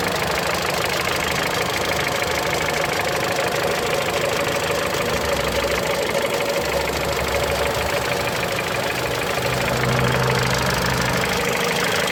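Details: Mitsubishi Lancer X, 4B10 1.8 engine with CVT: light, fairly regular knock about three per second at cold idle only; source unclear.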